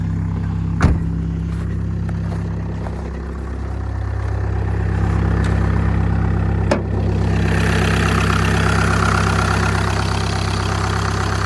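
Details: 2014 VW Passat TDI diesel that had been leaking coolant, cold morning idle with no leaks: steady, even diesel clatter at a settled idle, no misses or knocks, fan rising later; healthy cold idle.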